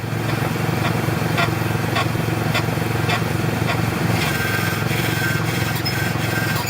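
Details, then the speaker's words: Car front suspension, steering turned and suspension moved: dry, uneven creaks about three a second over low engine hum; bad lower and upper ball joints with cracked boots letting in dirt and water, non-greasable, need service. "So here's what a bad ball joint sounds like when you turn the steering wheel or your suspension moves."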